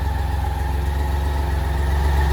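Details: 1986 BMW K75C three-cylinder idling on half choke: a steady, even burble with no knocks or misses. Healthy idle.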